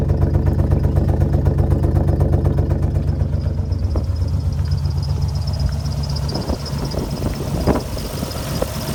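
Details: Alfa Romeo GTV V6 started after being parked a few months; deep idle with a pulsing beat and uneven blips when revved; rough running, possible misfire.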